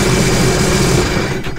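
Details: 2017 Sea-Doo GTR 230 after clearing a P0201 cylinder 3 injector fault and misfire, run about 5 seconds without water connected: deep, steady exhaust note dying away at shutdown, no misfire or stumble, no fault code returning; engine sounds normal.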